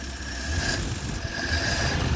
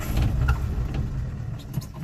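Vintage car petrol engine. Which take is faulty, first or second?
second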